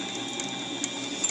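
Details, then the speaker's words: Drilling a 7/8-14 grade bolt with a bit ground to a bullet point: thin steady squeal over light cutting chatter as the bit hits a hard spot in the steel. "this is the same the same kind of grind here that's squealing hit a hard spot in that steel"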